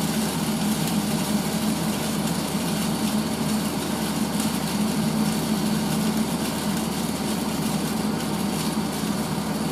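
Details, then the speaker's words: 1980s Tefal Spinmaster spin dryer (Calor, 2,200rpm max) doing an empty spin after towels to let the motor be heard, with water running through: an even, steady whir of constant pitch, no rubbing, rattling or grinding. Normal motor. "i'll do an empty spin so you can hear the um motor that's the sound of the water going through"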